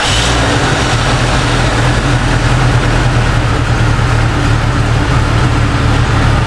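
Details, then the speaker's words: Jeep with swapped engine after coil fault codes P0351, P0352 and P0353: ignition timing corrected by turning the distributor while running. Now a steady, even idle with no stumbles; exhaust taken from another Jeep. "So, all that being said, my timing was off a little bit. So, I actually loosened it while the Jeep was running. Reached down in there with my hand, turned it just a little bit, and it ironed right out."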